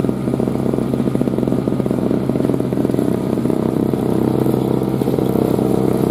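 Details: 2003 Murray single-stage two-stroke snowblower, sat 5 years, revved up clearing snow: small engine buzzes at a steady, even pitch with no stumbling or knocks. Runs healthy under load after first-pull start.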